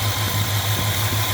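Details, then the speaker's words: 1965 Chrysler 413 Wedge V8, warmed up with the thermostat reading about 146-147, after new points, condenser and cap and timing set by ear: an even, steady idle with traffic behind it; the previous idle shudder is gone, normal idle. "so there it is running uh smooth if you can hear it with the traffic on my busy Street"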